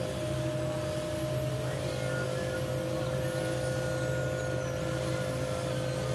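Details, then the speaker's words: Bosch electric drill that kept cutting in and out, after repair with the carbon brushes checked and the cover refitted; even, unbroken motor whine at constant pitch with no cutting out while the cord is tested, now running normally. "sudah terengar ya kita coba kabelnya tidak ada kendala lagi sudah hidup normal"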